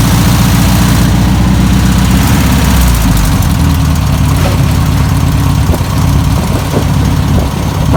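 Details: 1962 VW Type 2 van/bus, sat over 40 years: deep, even, low idle keeps running on its own with a steady beat and no stumbling; normal idle.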